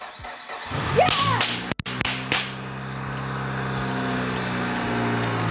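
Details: Mitsubishi Lancer Evo 7 after replacing idler pulley MD374877 and fitting a new 6PK 1790 belt to cure a frightening noise: starter catches, engine fires and settles into steady even idle, no squeal or chirp; normal, noise fixed.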